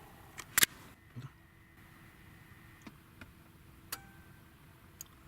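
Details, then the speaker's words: VAZ-21099 that won't start, Bosch M1.5.4 ECU, fuel pump relay forced on through the computer: one sharp relay click, then no pump whir; no power at the pump, caused by old aftermarket alarm wiring; fuel pump not running. "Автомобиль ВАЗ. Короче, 99-ка не заводится. Не работает бензонасос."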